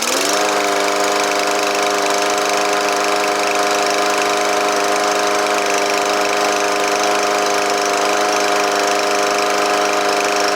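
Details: Troy-Bilt TB110 push mower, Briggs & Stratton 550EX, after repair of a no start: valves adjusted, broken part fixed, choke shaft and choke valve worked on. Engine catches and settles into a steady, even drone, no misses or knocks; running healthy.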